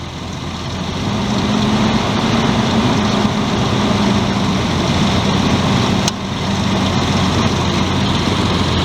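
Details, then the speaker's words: 1999 Ford Explorer idling after replacing the serpentine belt, tensioner and idler pulley: steady, even idle with a low hum, no squeal or chirp; belt drive running clean and quiet. "that sounds a whole lot better not squealing at all well good"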